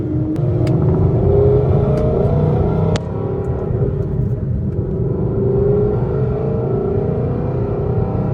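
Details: Whipple-supercharged S550 Mustang on a test drive after repairing a breakage: a steady engine drone climbing through fifth and sixth gear with a brief lift at each shift, no clunks or grinding.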